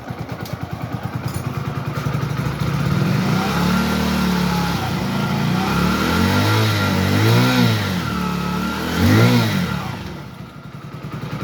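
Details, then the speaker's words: Hero HF Deluxe BS6 after engine rebuild for 1st/2nd gear noise, bearings replaced, first gear: even engine note rising and falling smoothly with throttle, no knocking, whine or grinding; normal running. "तो देख लिया आपने कोई भी आवाज नहीं है बिल्कुल ही एकदम जो इंजन है वो एकदम स्मूथ"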